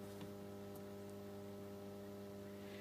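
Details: Solis grid inverter under low-voltage start testing on a bench supply, display still showing no watts: steady, even mains-pitch hum with clean overtones, no buzzing or crackle; inverter energised and running normally.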